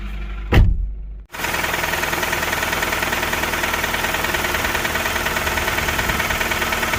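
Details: Honda Stream engine starting and idling with fast heavy tick-tick ticking, steady with speed, plus power loss: camshaft lobe galling.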